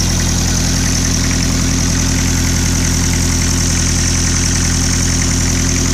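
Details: 1995 Land Rover Defender 110, 2.5 naturally aspirated 12J diesel, first run after a rebuild: even diesel clatter at a steady beat of about 158 per minute with no knock or miss; a healthy, settled idle.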